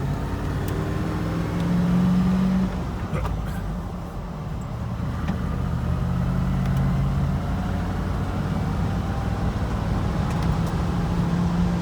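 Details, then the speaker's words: Land Rover Defender 90 on its first road test after fuel system, braking system and wiring work plus a used front bar. Steady, even low engine drone under road noise while cruising and pulling; running normally. "Well, for its first road test, it's running good."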